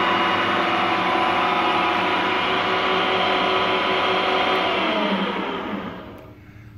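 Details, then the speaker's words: Refurbished Harrison M250 lathe, 0.9 kW motor on a 1.1 kW inverter, variable speed 750-2000 rpm: smooth, even motor and gear whir at steady pitch, winding down at the end; quiet, healthy normal running. "lovely machine nice and smooth nice and quiet"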